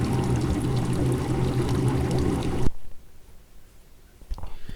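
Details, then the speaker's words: Old Maytag top-load washer, lid safety switch pressed in by screwdriver on spin cycle: steady rushing drain water for a few seconds then quiet as tub empties; normal draining, confirming the lid switch is bad. "And then you can hear that that has engaged into the spin cycle. You can hear the water draining. And you can see the water draining out of that tube."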